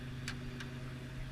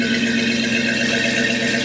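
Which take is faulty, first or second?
first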